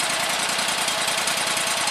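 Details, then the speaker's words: 25 hp Kawasaki engine on a Gravely 260Z commercial mower, run briefly after an oil and filter change. A fast, even buzzing beat with a steady hiss and no misfire or knock; runs normally, oil light off. "I think oil is now in the machine probably okay. I'm going to just let it run for just a few seconds."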